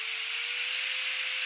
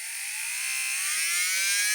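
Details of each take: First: Nail-drill (manicure file) handpiece motor running after disassembly, before cleaning and lubrication: steady high hiss with one clean, even tone near 500 Hz, quiet and even, despite a strange noise reported after the handpiece was dropped. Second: Manicure nail drill (rotary tool) whose handpiece was dropped: high motor whine rising with speed, overlaid with a harsh raspy hiss from the handpiece; foreign noise appeared after the fall, handpiece to be disassembled for the cause.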